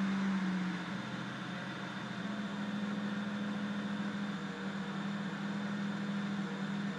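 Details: 335i rough idle: idle at 800 rpm dipping as low as 650, the hum dropping and wandering with a faint uneven pulse underneath.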